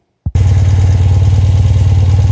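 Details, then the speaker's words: Motorcycle twin-carburetor engine synchronized with the Harmonizer vacuum balancer: starts instantly and settles into smooth, even, steady idle with deep regular beat, gauge dead center with minimal wander right; normal balanced idle. "running ah we're dead nut center and they're the same it wants to wander over to the right side a little bit but it's so minimal i'm really happy"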